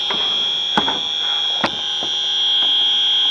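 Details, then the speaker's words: AC evaporator coil leak search, system low on refrigerant: the leak detector gives a steady piercing high alarm with a few knocks behind it; after zeroing and retesting the same spot it proved a false positive. "see now that was a indication of a false positive reading"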